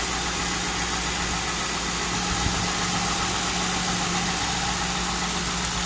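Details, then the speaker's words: Lincoln Town Car with air suspension, first cold start in almost two years, replacement alternator fitted, recorded close to the engine: smooth, steady, low idle hum with no ticks, knocks or stumbles. Normal idle. "hear that oh yeah sounds real good"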